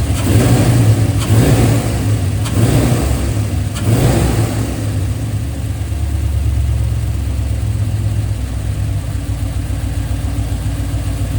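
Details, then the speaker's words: 2003 Silverado LS6 V8 after replacing cheap intake gaskets with name-brand ones; previously ran rough, backfired, MAF code blamed on intake leak; a few blips then steady, even idle with deep low rumble, no stumble or hunting; normal idle. "Oh boy, that sounds so much better. Definitely needed the newer intake gaskets. Don't go cheap on those. It makes a difference."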